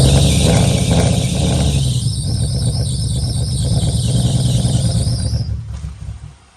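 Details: 1990-96 Nissan 300ZX (Z32) with an uneven, lumpy, stumbling idle that never smooths out before it dies; the misfire is caused by ignition coil connectors popped off, a common 300ZX issue.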